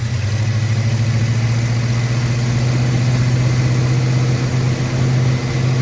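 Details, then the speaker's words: 1968 Ford Country Sedan, V8 of unknown size (360 or 390), first revival start on a borrowed battery; held around 2,000 rpm with 60 psi oil pressure and climbing. Ignition not timed and plugs not gapped. Deep, even drone, no knocks or misses: normal running at raised rpm. "what's the oil pressure 60 in climbing all right let's see it that's a lot of oil pressure it is sounds pretty good oh yeah"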